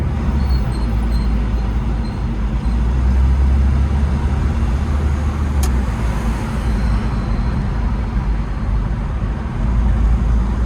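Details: Late air-cooled Porsche 911 Type 993 flat-six on test drive after cooling fan replacement for age-related noise: deep even rumble under road noise, no whine, rattle or scrape from the fan; healthy.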